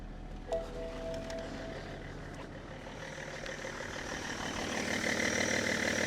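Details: Car started with Lokithor JTC4250 jump starter at about 12 V, rising to 13-14 V once running; compressor audible, coolant level warning. Steady even idle with light belt whirr, no knocks or misses: normal idle.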